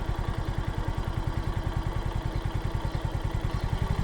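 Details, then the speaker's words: 2025 Suzuki Smash motorcycle at about 5,900 km after an oil change: even single-cylinder idle with regular low pulses and no ticking over the top; the slight tick heard when new has disappeared and the engine sounds healthy. "Actually wala na talaga wala na akong naririnig."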